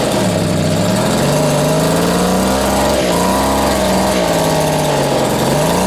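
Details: Vintage Echo two-stroke strimmer on its first run after reassembly: buzz hunting up and down every second or so, never settling. Owner suspects the carb; uneven running from low compression.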